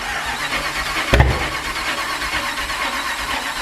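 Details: LS4-swapped Pontiac Fiero first start attempt, battery 12.7 V, spark checked good: starter churns steadily but never catches; cranks, won't start, owner suspects timing after a loud backfire.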